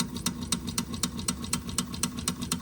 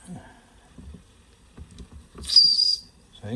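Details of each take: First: Wilesco D6 toy steam engine fired by old, crumbled solid fuel tablets giving a low flame; soft regular clicking about four beats a second, lazy and below full speed from the weak burner flame. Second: Wilesco D6 small steam engine on old, partly used solid fuel tablets: two sharp, high, clear whistle blasts about a second apart; steam up, boiler at working pressure, whistle blowing normally.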